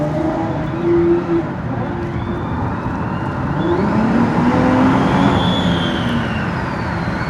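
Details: 2014 Dodge Challenger at 103k miles, under way: faint whine rising and falling with speed above road noise; failing transmission.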